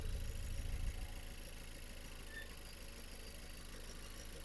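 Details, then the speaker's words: Vauxhall Astra with random misfire code P0300 and compression of 125–155 psi: a rough, uneven idle with low rhythmic huffing. Heavy crankcase blow-by, "like a steam train", pushes through the breather into the inlet and fouls the spark plugs black. "going to feel so much pressure it's like a steam train so all that steam throw the Breather holes it straight into the inlet"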